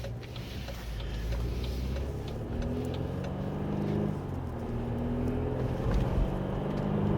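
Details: BMW F-body 528i rear differential after full teardown and bearing repair for noise: on the road only steady low drone and tyre noise, no whine or hum from the rear; normal differential.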